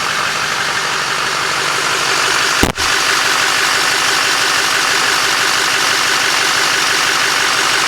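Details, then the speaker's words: LMM Duramax diesel after serpentine belt, tensioner and idler pulley replacement for a squeak/chirp: even idle with steady clatter and one brief bump, no squeal or chirp; nice and quiet, normal idle. "that's me with my ears that is nice and quiet"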